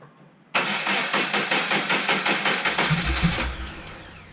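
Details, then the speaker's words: Golden Toaster car starting after new spark plugs and leads; about three seconds of choppy, uneven pulsing then sags and fades out; rough running, suspected fueling issue rather than plugs, not confirmed. "Because that sounds like it might be a fueling issue, and when you were letting onto the throttle..."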